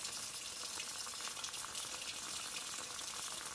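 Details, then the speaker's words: Vintage antique-store moka pot, first brew, at the end of brewing: steady hiss with crackling sputters and gurgles as it draws water or air, signalling the brew is done. "i think go ahead and quit right there with it because there is a now yeah it's starting to gargle water or air"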